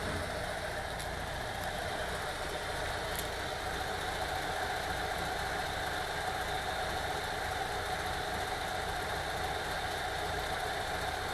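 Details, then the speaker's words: VW T3 2.1L after heads replaced, cured of rough running, backfire and misfire from a burnt, non-sealing number two exhaust valve: quiet, even idle with steady beat, no stumble or ticking; healthy. "nice and even running again with the heads replaced"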